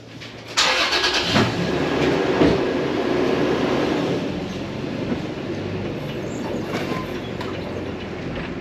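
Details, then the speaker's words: 2015 Toyota Tacoma driving after rubber neoprene washers were added at the bed bolts, which were torqued to spec: steady road and cab noise, no knocking or rattling from the bed. "It's no more knocking anymore, so we'll see how it holds up, but that's supposed to help the problem."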